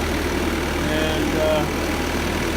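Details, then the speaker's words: Bobcat S630 skid steer, Tier 4 diesel, run a few seconds after oil and filter change to check leaks: steady even low diesel idle drone, no misses or knocks; no oil leaks, normal idle. "Okay, now it's gonna get loud here. Mike's gonna fire it up. We're just gonna check for leaks and just let it run for a few seconds."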